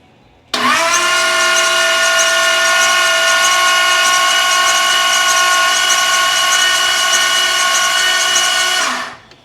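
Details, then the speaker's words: Blown 335hp Ardun flathead just swapped into a 1932 Ford Roadster, first crank with magneto off and fuel pump fuse pulled to build oil pressure: nine seconds of steady, even starter whine, no firing. "the mag is shut off I pulled the fuse out of the fuel pump so the fuel pump's not going to be running crank this thing over and wait for some oil to pressure up"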